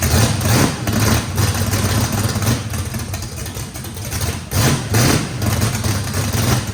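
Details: First start of a race V8 with a radical camshaft, likely big overlap and lobe separation, throttle blade about six percent open to idle: choppy lope swelling and dipping about twice a second with deep bark; normal healthy lopey idle.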